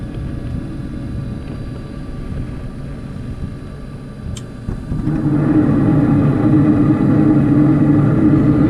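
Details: Carrier Infinity propane furnace after birds removed from blocked flue pipe and inducer reinstalled: low steady hum, then about five seconds in the fan spins up to an even, smooth whoosh; normal operation after repair.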